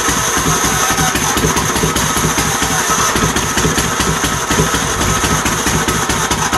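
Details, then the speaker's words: Troy-Bilt GTX 20 after heads refitted with new lapped valves and gaskets, fed gas directly into carburetor: loud, raw, uneven popping exhaust, running rough on choke; muffler baffles gone so it's essentially straight pipes, carburetor kit pending, starter also failing. "I know the baffles in the exhaust are gone too our dear Lord so you guys get the drift it runs the muffler basically isn't one's as straight pipes"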